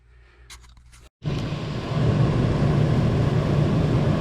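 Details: Camper ducted roof air conditioner, reassembled: after a short click it settles into a steady, even hum and fan rush with no rattles or surging. Runs normally after repair.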